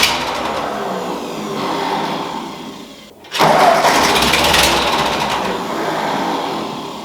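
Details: Ford 2N tractor converted to 12 V, with a new coil and a rebuilt carburetor, cranked for the first time: it catches without starting fluid in a short ragged burst, then sags and won't keep running, fuel starvation from a damaged carburetor jet.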